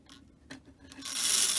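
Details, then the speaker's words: Long-dormant Lionel prewar 229 locomotive motor, armature plates cleaned, bench-tested lifted off the table: a few light clicks, then a thin raspy high-pitched buzz as it spins up; chatter from dry, unoiled bearings. "hey there she goes you can hear that chattering that's because it's gonna dry but you don't want to do this too long"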